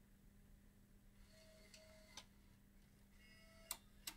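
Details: Bose 3-disc CD changer with a reported grinding/stuttering complaint: eject cycle gives quiet whirs and a few light clicks as discs cycle out in turn, with no grinding or stutter, so the mechanism sounds normal.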